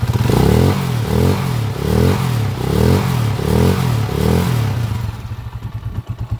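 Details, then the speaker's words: Honda TMX155 after a timing gear replacement, block rebore and new valve seal. Repeated throttle blips fall back to a smooth idle, and no high whine climbs with the revs; the former cat-like timing gear noise is gone. "Revolusyonan na natin kung nawala yung pusa-pusa. Yun. Nice. Wala nang pusa."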